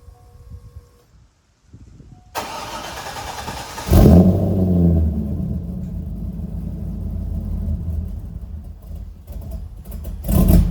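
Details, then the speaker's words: C5 Corvette V8 after fitting Flashark long tube headers, X-pipe and high-flow cats: cranks, catches with a loud flare, then a lumpy cold idle with a puffing, chuffing tick. The passenger-side header leaks because its flange is slightly warped. "The only issue that I had was, yes, there is a leak at the header on the passenger side."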